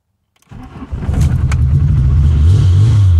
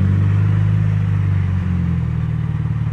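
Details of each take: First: MK2 VW GTI first start after sitting under a cover about eight months, fuel primed by cycling the key: catches quickly and settles into a smooth, even low idle with slight rise and fall, no misfire; normal start and idle. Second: MK2 VW GTI, old car that sat about eight months, idling while being moved in for driveshaft and control arm bushing work: deep low idle rising and sagging unevenly, hunting; surging idle.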